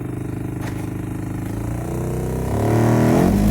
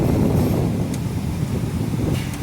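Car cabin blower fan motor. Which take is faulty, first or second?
first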